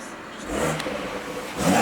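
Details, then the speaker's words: BMW M140i being rebuilt after a crash, with a new electric water pump, auxiliary belt and charge pipe; coolant bled and warm at operating temperature. Clean, even blips settling back with no knocks; sounds healthy, normal revving. "It sounds nice as well. Put it into sport. It does all the pops and bangs."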